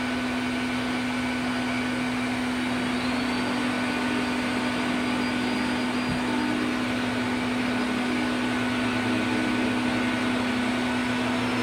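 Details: 1990s Health Mor Elektrapure canister vacuum with a fitted HEPA bag, set to high: steady motor roar with a fixed tone that never climbs higher, because a circuit board fault holds it at reduced speed with middling suction.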